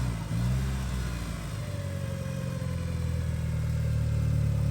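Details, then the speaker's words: 1991 Mitsubishi 3000GT VR4 with new full 3-inch turbo-back exhaust, warmed up: smooth, even engine note rising steadily with revs, no knocking or ticking, no smoke; engine sounds healthy. "How's that sound? Everything's good. There's no smoking. There's nothing really."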